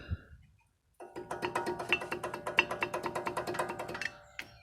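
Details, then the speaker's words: Chevrolet Cruze brake caliper with new guides and new anti-rattle springs still rattling: quick metallic clacks, about three a second, as the caliper is rocked up and down by hand; caliper has play in its mounting. "все было сделано и пружины ставил вот таких и вот такую купил вот номер но все равно лязгает"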